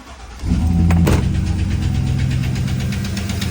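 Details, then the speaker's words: 2009 Chevrolet Silverado 5.3 V8 on cold start: a fast, light ticking rides over the idle. Suspected hydraulic lifter tick from low oil pressure, dirty oil passages or worn lifters due to oil neglect; not confirmed. "Hear that ticking? On this engine, that's usually caused by lifters. And these lifters are uh hydraulic, meaning they rely on the oil pressure to stay pumped up."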